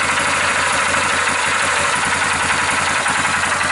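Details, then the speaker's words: 2001 Yamaha Kodiak ATV, about 20 years old, with old gas, just started after a fuel shut-off valve was fitted. Still cold and no leaks seen. Steady, even single-cylinder putter, no misses, knocks or rattles; normal cold idle. "It runs. So it's probably gonna shut off. It's still cold. No leaks that I can see anywhere."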